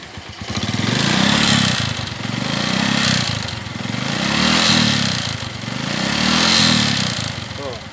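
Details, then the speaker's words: Suzuki Shogun 125 RR ("Robot") during major service, revving: engine surges up and down, loud and rattly at the top of each rev, with smoke; mechanic suspects piston noise rather than valves, and oil was found very low. "kalo digas bisanya suaranya kuat sekali kau langsung aman Masa namanya kalau digas itu suara piston karena suara dari sini dan asapnya"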